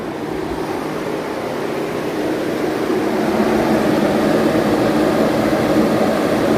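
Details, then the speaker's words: 15-inch Silverado PWM fan with performance shroud at 80% duty cycle, airflow about 800 CFM, 750–900 at outer edges; steady even rush of air, smooth hum, no rattle or scraping; normal fan operation. "So we've already tied the other fan at 80% duty cycle. And we're making about 800, bouncing between like 750 and 900 on the outer edges."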